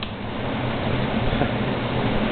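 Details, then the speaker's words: Xpelair WX12 extractor fan with original 1974 FR12 controller, boost (maximum speed) on intake, well oiled: very loud steady rushing air with an even low hum, no rattle or scrape; normal running at full speed. "So loud, it's unbelievable."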